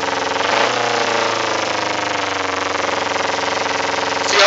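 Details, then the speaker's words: 2008 Kawasaki Ninja 250R with K&N filter and new plugs, exhaust smells of raw fuel; no throttle, idle climbs by itself to 2,000-3,000 rpm, fast steady buzz; high idle, owner suspects rejet needed. "I'm not touching any accelerator I'm not doing anything right now has gradually gone up to 2,000 and there it goes it's it's raising up a little more by itself"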